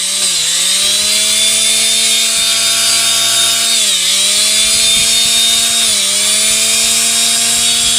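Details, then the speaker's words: Electric planer after repair of armature sparking (new carbon brushes hadn't cured it), commutator cleaned, running with belt connected: even, steady high motor whine, briefly dipping and recovering, no crackle; sparking gone, tool runs smoothly. "talaga yan guys Okay na siya nawala na yung spark niya pwede na natin ito gamitin ulit"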